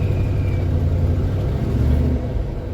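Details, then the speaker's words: 1973 Jeep Commando with AMC 304 V8, 3-speed, 4x4, after carb rebuild and basic tune-up: steady, even low rumble with no misses, knocks or hunting; normal smooth idle. "So this thing's running nice and smooth now. I think I got it pretty close."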